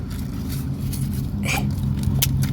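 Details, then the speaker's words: 1954 International pickup, starter energized directly with hot power in park: starter whirs freely at a steady hum without turning the engine; the bendix isn't sliding out, blamed on a small activator wire. Starter drive not engaging. "oops see you can hear that but now we got the problem the bendex isn't sliding out right"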